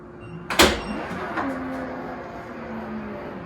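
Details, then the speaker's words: Hansshow aftermarket auto trunk struts on a Tesla, opening at the fastest (6th) speed setting: release clunk, then smooth motor drone gliding down in pitch as the liftgate rises quickly; normal power liftgate operation. "Okay. So nice and fast. So that's the fastest setting."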